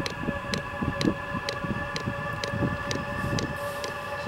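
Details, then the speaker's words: VEVOR 27,200 BTU diesel air heater, 12/24 V, first startup: after the glow plug heats, steady fan whine with the fuel pump ticking about twice a second, gaining rhythm as the burner ignites and warms up normally. "sounds like the igniter is taken off warming up the inlet is on the right Outlet is on the left of the hot air comes out and two pump getting more Rhythm"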